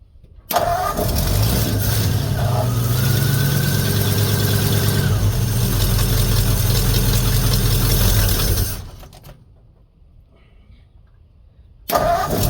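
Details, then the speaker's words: 1950 Ford F1 with Flathead V8 8BA after replacing the leaking exhaust manifold gasket and the missing header bolts, about 45°F outside: fires quickly and settles into a smooth, even idle, no puffing or ticking at the manifold; now quiet. "oh yeah nice and quiet quite happy about that"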